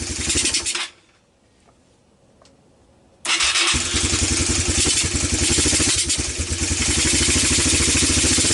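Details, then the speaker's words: Four-wheeler sat for years, carburetor cleaned, new plug, old gas blamed, burning oil: single cylinder popping about three and a half beats a second, cutting out and catching again; sputtering, running rough. "as you can tell this thing isn't quite running right so we're gonna end this video here"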